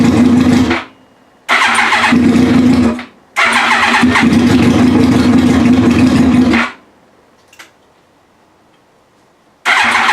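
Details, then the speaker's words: Yamaha R1 first startup after sitting, reassembled with fuel pump, tank, fresh fuel and wiring harness refitted: engine catches and revs hard in short bursts, dropping out between tries, then fires up again; sounds healthy. "well got it running that sounded pretty cool"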